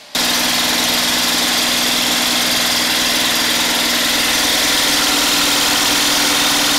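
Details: Homemade 12V DC gasoline generator charger under full load (about 2000 W of heater dummy loads), alternator outputting around 80 A continuously without getting too hot; steady high-rev drone, no knocks or surging. Normal running under full load.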